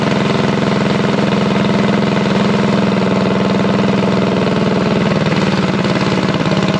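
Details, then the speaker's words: Unknown-history junk single-cylinder go-kart engine just revived and started on choke, at a fast idle around 2200 rpm for break-in: a steady, even putter with no knocks or misses. It is running healthy. "good enough well don't sound too bad for a junk motor that i know nothing about"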